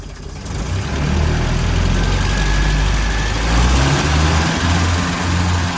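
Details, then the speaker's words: 1977 Land Rover Series III 88" with 2 1/4 five-main-bearing engine and Weber carburetor, new coil fitted: rough, uneven rumble with stumbles under acceleration; misfire traced to a carburetor clogged with dirt, likely from the recently replaced fuel tank. "Getting a misfire under acceleration with the new coil. So our next step is to take the carb off and have a look."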